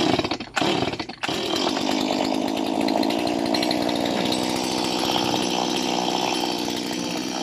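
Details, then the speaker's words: Chainsaw two-stroke, just started with choke then choke released, warming up at idle without revving; white smoke from oil-wet engine block: few sputters, then even, buzzy idle with no misses. "First thing, jangan rest dia, jangan rem dia. Dia bermain dulu, dia warm up, ya."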